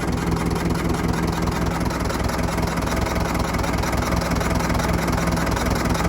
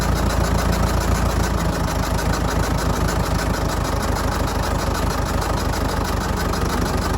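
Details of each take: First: Old Fordson Major diesel tractor, revived after 20 years standing, oil pressure holding: steady, even idle chug nearly two beats a second with no knocks or misses; engine sounds healthy. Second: Old Fordson Major diesel tractor, revived after 20 years standing, air intake cap off: uneven idle about three pulses a second with some weaker firings; owner suspects it may be down a cylinder or just intake noise.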